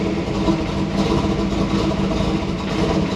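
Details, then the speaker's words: 1996 Chevrolet Camaro LT1 after fitting a used spare alternator to fix electrical interference: steady even idle, smooth low rumble, no misses, ticks or whine; charging, no speaker interference. "You can already hear how much better it's running. We're charging."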